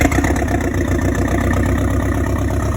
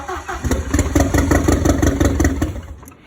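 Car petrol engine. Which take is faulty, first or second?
second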